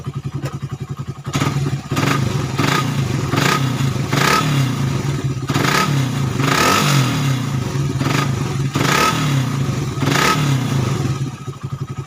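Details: Suzuki Satria FU 150 cc after correcting the cam-chain top timing another workshop set wrong, which had caused rough idle and weakness. The small single picks up cleanly on each throttle blip and settles to a steady idle without stumbling. Running well.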